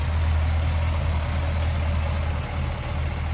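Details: 1955 Ford Fairlane Crown Victoria V8, heard with hood open at idle: low even burble with steady beat, no knocks, misses or ticks; healthy idle.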